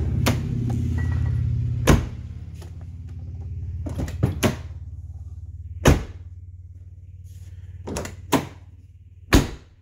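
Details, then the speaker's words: 1990-1997 Lincoln Town Car door after striker bolt bushing replacement: several solid, clean shuts with crisp latch catch, no click, very little effort needed; door closes normally. "that is so nice compared to what it was no click very little effort to shut the door"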